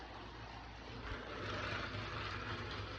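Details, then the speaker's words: Bachmann model locomotive at 60% power with some wheel slip: loud, rough whirring hiss over a low motor hum; loud bearing noise. "at it's just absurdly loud. I mean, you could hear it. You could hear its bearings."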